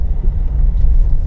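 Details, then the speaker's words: Nissan Terrano, driving on road after tightening loose dashboard strip near instrument cluster: earlier a rattle came from the cluster area, now only low road rumble and a quiet cabin, no ticking or buzzing. Fault blamed on careless earlier outside work. "कि न्यायालय cluster के पास मैं तो अभी कोई आवाज नहीं आ रही है"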